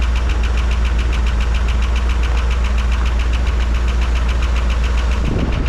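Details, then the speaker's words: 1985 Dodge D150 carbureted engine idling well, with an even, fairly quick clapping tick about twice a second over it; owner suspects lifter tick, though more of a clapping than a ticking; not confirmed. "I don't know what that sounds like lifter tick to me I don't but it's not quite a ticking it's kind of a clapping noise"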